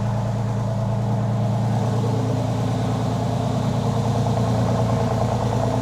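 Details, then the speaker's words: Freshly rebuilt 3.8L Porsche 911 flat-six on first start, oil topped up, power steering fluid low: steady idle with a light, quick tick about twice a second from brand-new lifters still bedding in. "oh yeah well we've got some brand new lifters that are needing to be worked in that's for sure you can hear them ticking a little bit"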